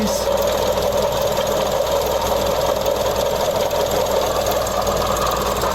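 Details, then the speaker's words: Mazda CX-30 engine running, listening at the belt tensioner pulley: a noise heard since starting that keeps getting louder, a constant gritty, crispy whir. "I can see right the tensioner right there so just easy you can definitely hear that crispy sound um from the tensioner"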